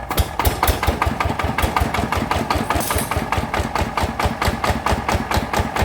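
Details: After gear replacement, a fuel-injected "Jao Palang" engine (side cover converted to "Jao Lok") that previously had loud gear noise runs with a strong, steady single-cylinder thump, about three beats a second, with no grinding or gear rattle; normal running.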